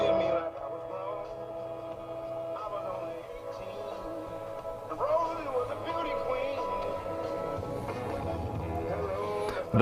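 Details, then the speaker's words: Radio in for repair, audio output tested via clip leads: music sounds harsh, crackly and distorted across the range, worse at full volume; audio output fault, cause not yet known. "sounds terrible can you hear that put on something it's distorted so it's got issues"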